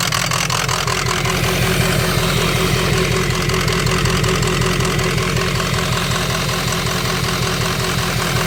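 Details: Ford 6.0 Powerstroke diesel at idle: uneven, lumpy clatter that never settles into a smooth beat; rough idle, owner suspects a bad ICP sensor, unconfirmed.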